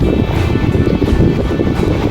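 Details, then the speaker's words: Sharp 18-inch electric fan that had been slow to start and spin, after its capacitor was replaced, on speed setting 1: strong steady air rush with an even low hum and no rattle. It starts faster than before and spins normally. "เห็นมครับจังหวะออกตัวเร็วกว่าเดิมนะครับแล้วก็หมุนแรงปกตินะครับ"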